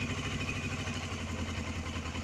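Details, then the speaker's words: Suzuki GS500E cold idle on partial choke after overnight sit at about 55°F, following a carb rebuild to clear clogged pilot jets; steady, even putter at slightly raised choke speed, no misses or stumbles: normal cold idle. "Yeah, so I'll just let it idle for a moment."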